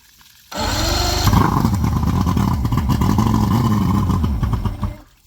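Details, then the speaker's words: Evinrude 150HP two-stroke outboard on a 1997 Sunbird Coral boat, first start after 20+ years sitting, fuel and oil injection bulbs and lines replaced: catches abruptly, runs rough and uneven about four seconds, then dies; won't stay running. "anyway we can't keep the motor running or we can't get the motor to stay running"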